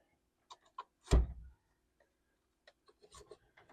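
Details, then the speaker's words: 1985 Ford F150 HVAC temperature lever repaired with new homemade bracket: soft thud and light clicks behind dash as lever moves; blend door swings freely opening and closing, working properly. "can hear the door closing and opening. All right, that'll work for now. It's going to work a lot better than it did."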